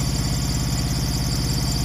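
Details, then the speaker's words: Truck APU small diesel after oil, coolant and oil, air and fuel filter change, covers back on: steady low thrum with an even, unbroken beat, no knocks or misses; running pretty good, healthy. "i already got the covers back on it's running pretty good"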